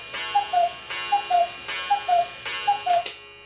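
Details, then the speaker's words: 1940s Hubert Herr Black Forest cuckoo clock after cleaning, oiling, new Tyvek bellows and gong adjustment: four clean two-note cuckoo calls, high then low, each opened by a bright ringing gong strike, evenly spaced; normal call. "And now let's test that cuckoo out, because I adjusted the gong."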